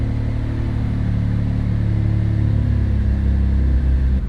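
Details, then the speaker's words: Twin-turbo Mitsubishi 3000GT VR4 (6G72, forged internals, stage 2 cams) on AEM Series 2 after warm-start map retuning: low even rumble settling into steady run without stumbling; clean warm start. "Warm start. Pretty much dialed in as much as I'm gonna be able to do it."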